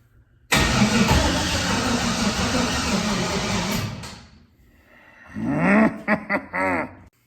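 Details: Junkyard LS (L33) V8 behind large turbo, on 5-month-old methanol, on charger 4.5 minutes with dead battery: loud steady cranking about three seconds dies away, then short rising whirs in bursts without catching; cranking no-start.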